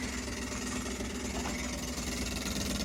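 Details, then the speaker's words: Kenmore fridge humming with a rapid, even ticking rattle from the back: the condenser fan blade is hitting the coils. "you see that the fan is hitting the coils"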